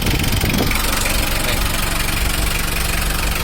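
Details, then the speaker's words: Mitsubishi L300 diesel before the injection pump timing was set: an uneven, heavy clattering idle at about two knocks a second, a harsh diesel knock from incorrect injection timing. "Mas tadi belum diur Buny kematak-kemeratak kasar gak karuan ini tuh"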